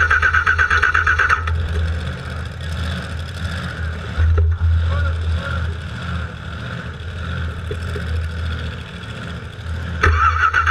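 Steady starter churn with even compression pulses for about ten seconds, but it never catches: cranks fine, won't fire.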